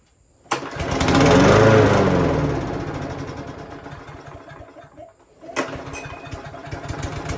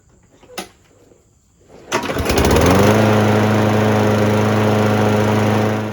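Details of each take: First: Craftsman lawnmower with Briggs and Stratton engine, starts then quickly dies; fixed by cleaning the carburetor bowl and jet. Fires, runs a second or two, fades and dies, restarts and sags again. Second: Craftsman lawnmower with Briggs and Stratton engine, after cleaning dirt from the carburetor bowl and jet that made it start then stall. Pull-start catches, revs up and settles into a smooth, steady hum with no surging or stalling: normal running.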